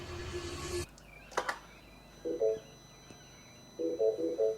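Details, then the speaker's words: Mini Cooper S with £100 replacement engine, first start attempt: quick paired beeps, engine never turns over; start warning, likely because clutch and brake not pressed. "It's beeping. Is your foot on the brake? Oh, you've got to put your foot on the brake."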